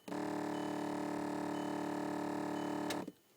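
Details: 2007 VW Rabbit A/C recirculation flap motor, heard in the dash behind the glove box: loud, steady buzzing drone for three seconds then cuts out abruptly; failed flap actuator motor, replaced.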